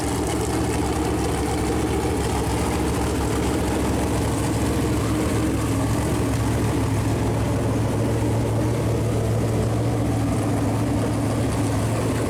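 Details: Freshly built Chevy Performance 454 big-block V8 on a run-in stand, first start, good oil pressure: steady even low rumble, smooth regular beat, no knocks or ticks; normal idle.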